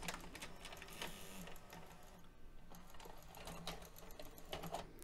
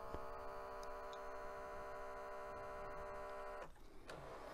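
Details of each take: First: Mitsubishi HS-U760 Super VHS VCR (1996), after replacing two missing/broken belts that caused a whirring no-work fault: quiet motor whir and light clicks as the tape loads, threads and ejects with no slipping; transport back in business. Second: 1996 Mitsubishi HS-U760 S-VHS VCR, non-working thrift-store unit at power-on: steady high fixed-tone whir that cuts off; mechanism motor spinning freely, typically a missing or broken belt.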